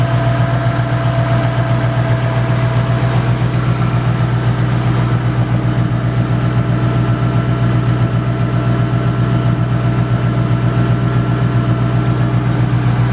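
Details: Ford single-turbo 5.4 engine, head work by Modular Head Shop, idling in driveway after start: deep steady idle, even pulse about four per second, no misses or knocks; smooth healthy idle.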